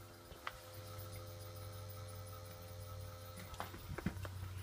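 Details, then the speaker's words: New fuel pump for a Toyota MR2 Mk1, bench tested in the tank with about two litres of petrol and powered through crocodile clips: a quiet, steady electric hum with a faint whir, no surging or grinding; the pump runs freely and delivers petrol, though flow looks low. "and yeah I'm definitely hearing something"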